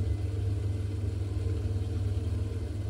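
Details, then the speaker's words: Baxi boiler after fixing a broken, limescaled flow switch that caused lukewarm hot water: flame modulating down as water temperature stabilizes at 60–70°C, steady even low roar, no banging or whistling; job fixed. "it's just modulating down now that's nice and hot don't know if you can hear it on the camera but I can hear the flame"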